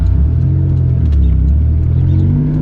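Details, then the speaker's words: Toyota Celica after fixing intake issues, likely disconnected vacuum lines causing vacuum leaks and low-down surging: deep, even engine rumble climbing smoothly in pitch with no stumble or surge under acceleration; car runs happier than in years. "And then, yeah, the car is happier than it's been in a long"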